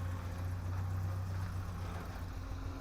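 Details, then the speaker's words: 1984 Toyota Hilux 4x4 carbureted engine after new spark plugs and fuel filter, idling with small throttle stabs; it backfired before but not now; low uneven idle sags nearly to stalling then recovers; owner suspects a poorly tuned carburetor, possibly running rich; hesitation near stall. "oh it's going to shut down no saved itself it's not backfiring it's got a little bit of a hesitation when you just give it little stabs"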